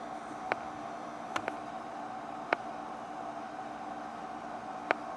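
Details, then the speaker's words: 1950 Zenith H725 AM/FM tube radio that does not play: irregular sharp pops through the speaker over a faint steady hiss while the set is unplugged; cause of the popping unknown. "I know you can hear that popping and the speakers like pop pop yeah it's not even plugged in the radio's on and it's unplugged"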